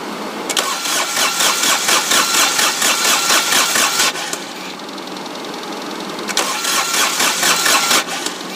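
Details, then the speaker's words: Dixie Chopper diesel mower that ran out of fuel, cranked with the injector lines loosened to bleed them: two bursts of even starter churning with no firing, because air in the fuel lines is starving the engine. "crank it, and like I said, you want to see fuel coming out of those injectors pretty solid. And then once that happens, go ahead and stop cranking it and tighten them back up."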